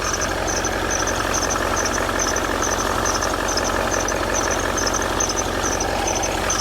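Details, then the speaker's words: 2012 Range Rover L322 4.4 TDV8 at idle: a sharp repeating chirp about three times a second from the front accessory belt drive. Owner suspects a worn tensioner or pulley, possibly the recon alternator fitted in France, or contamination on the belt. "I think that's vibrating so taking up slack which suggests one of the pulleys is knackered. That's the tensioner doing its thing."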